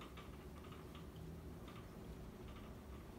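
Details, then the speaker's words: Dynasty Hugger 52-inch ceiling fan from January 1988, slight wobble, on high speed: soft hum with irregular light ticking and rattling bursts about every half second, new this time; housing suspected rattling, though all screws are tight. "It's been making that rattling sound every time I test it on high recently. And it didn't do that before, so I'm not sure what's going on with it."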